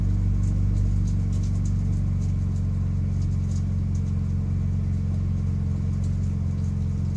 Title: 6mt rattle noises